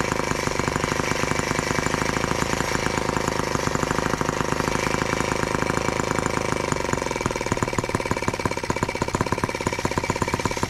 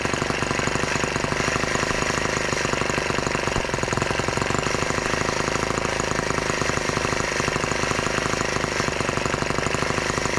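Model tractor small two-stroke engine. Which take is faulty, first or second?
first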